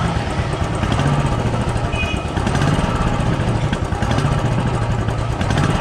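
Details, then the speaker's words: Old restored Royal Enfield Bullet 350 after replacing the carburettor flange rubber for low pickup: lumpy single-cylinder thump rises cleanly on throttle and settles back, no longer stalling when the throttle is released and no backfires; normal revving. "अब initial तो रुक रहा है इसका पहले तो race छोड़ते ही ना बंद हो जा रही थी तो यह देखो अब सही है बैक फायर भी नहीं कर"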